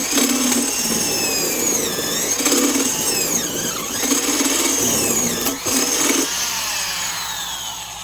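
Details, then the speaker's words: Vintage Black & Decker Super Duty 5/16" D-handle drill, freshly reassembled with new grease, forward only, driving a 1-inch spade bit into pine: high motor whine sags in pitch each time the bit bites; motor bogging under heavy load. "Certainly is heavy duty. Was definitely bogging it down."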